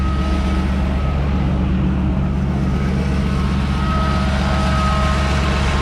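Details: 1995 Chevy S10 started after sitting for a year, engine untested: a rough, lumpy V6 idle with a thin steady whine over it. The power steering sounds very unhappy, groaning from low fluid, and there is slight smoke.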